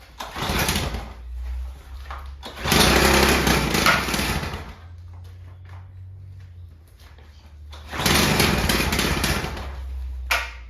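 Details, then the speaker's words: VICTA Tilt-A-Cut lawn edge trimmer with a 2-stroke engine and good compression, primed three times, started after a few pulls: it buzzes up sharply in bursts and revs cleanly. It runs normally; the fault had been a disconnected fuel line. "So there you go, folks. What a beauty. You know, it took a few pulls, but she started up and ran."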